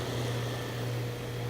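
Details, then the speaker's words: Goodman AC condenser low on R22 after bad capacitor, both components started: steady even low hum with smooth fan rush, no rattles or buzzing; running normally, no major component damage. "that's good news at least there's no major component damage"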